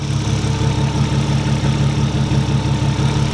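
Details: Smooth, steady idle with an even low pulse of about three a second and no tapping, after an overdue oil change; owner thinks the thinned old oil had kept the lifters from pumping. Engine now healthy.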